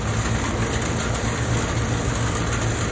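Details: Carrier air conditioner condenser unit, previously short cycling and not cooling, after repair, 20 degrees outside in rain: steady low compressor hum with even fan whoosh once contactor and fan engage; normal condenser operation.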